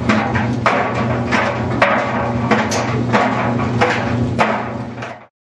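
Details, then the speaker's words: Whirlpool dryer on a high-heat drying cycle: a hollow knock about every two-thirds of a second as the drum tumbles. The suspected cause is loose or broken baffles inside the drum, and the fix is tightening or replacing them. "el problema puede ser que los deflectores dentro del tambor estén flojos o rotos"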